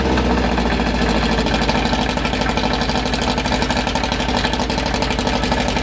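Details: Newly built 2054 engine (Fusca) on its first start: brisk idle held around 1200 rpm, kept high so parts seat in and may be lowered later, light mechanical chatter underneath; healthy during break-in.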